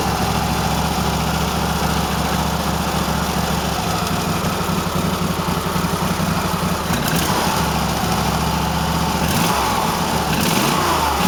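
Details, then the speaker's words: Cub Cadet tractor twin, right cylinder missing only at idle, fine when revved; owner suspects carburetor dirt or bad spark plug: lumpy uneven idle with irregular popping and dropped beats; misfire at idle. "It's just running like shit. Hear it popping a little bit, I don't know. Might be a speck of dirt in the carburetor, but as soon as you rev it up, it's fine. I don't know. Only at idle it fucks up."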